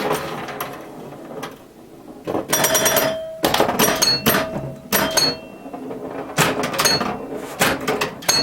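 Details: Restored 1977 Williams Hot Tip, Williams' first solid-state pinball machine: bright ringing chimes and sharp solenoid snaps in lively bursts without cutting out; startup melody's second-to-last chime note sounded off to the owner; otherwise normal operation.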